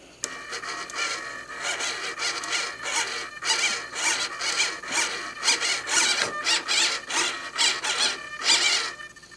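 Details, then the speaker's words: SIG Kadet LT-40 rudder servo driven by radio and receiver, held down with the pushrod connected: quick bursts of high, buzzy whir that start and stop cleanly. There is no squeal, so normal movement with no binding. "okay and what you want to do is make sure there's no binding you don't hear any binding"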